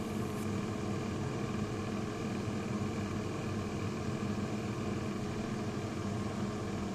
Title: Growling rattling noise just before door broke again